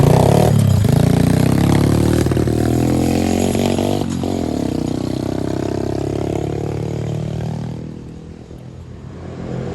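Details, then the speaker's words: 110cc four-wheeler ATV after service with new carburetor, spark plug and alignment, broken fuel part fixed: small single revs up cleanly and settles, even firing, no misses or stumbles; normal running. "oh yeah that thing sounds good another satisfied customer"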